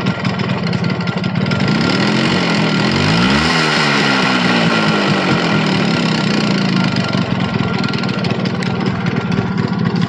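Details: Yamaha RX100 two-stroke motorcycle, first start after about 10 years standing: steady busy buzz with even crackly exhaust beat, no knocks; running smoothly again.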